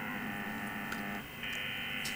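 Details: G4NSJ amateur radio receiver on 60 m (5 MHz) band; steady electronic buzz with fixed tones, shifting slightly partway, about 20 dB over S9 on waterfall; interference from unknown nearby source, possibly power supplies.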